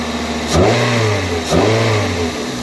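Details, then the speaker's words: 2002 Toyota Corolla after new coil packs, spark plugs and cold air intake, warming up: two quick throttle blips rise cleanly and drop back to steady idle with no misses or knocks; engine sounds healthy. "it sounds good when I rev it know give it a a a throttle twisty it sounds"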